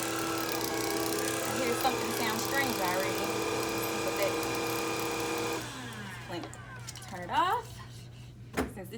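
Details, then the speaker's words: Tineco iFloor cordless vacuum-washer, new out of the box: steady high motor whine with an uneven scratchy rattle until shutdown, caused by a picked-up Christmas ornament hook in the brush head; foreign object rattle. "i was hearing something sound a little strange oh yep here it is from christmas ornament hook"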